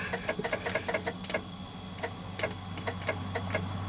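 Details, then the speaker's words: Abandoned 1970 International D1000 truck, restart attempt after shutting off: fast dry clicks then slower scattered ones, no cranking; dead battery. "Will she start back up, Nick? >> I think so. >> You think so? >> I lied. >> Battery's dead."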